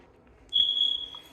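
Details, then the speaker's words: Single sharp high-pitched chirp in a quiet room as breakers are turned on in a new Clayton home with 200 amp main power on; detector beeping, sounds like it needs new batteries. "Beep, beep. It sounds like, hey, you need new batteries."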